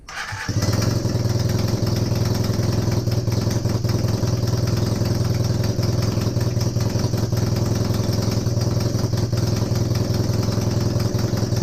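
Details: Honda CB250N Superdream twin, rebuilt from boxes of bits, with new spark plugs, first successful run after the disconnected kill switch was found, choke partially closed. It catches instantly into a smooth, even low-beat idle. Normal start and idle; owner suspects the base gasket for a front oil leak.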